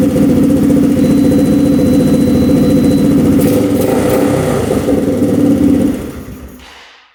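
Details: Rough 4x4 ATV sitting for years, first start after siphoning old premix-looking gas: single chugs unevenly then fades and dies; holds only on partial choke; owner suspects not enough fuel, fuel screw to go out, float height fine.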